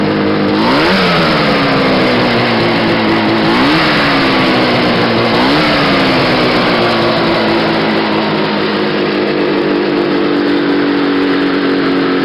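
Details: Restored and modified 1970 Ski-Doo Nordic snowmobile two-stroke: catches right away, blips up sharply a couple of times, then settles into a busy, buzzy run with no odd knocks.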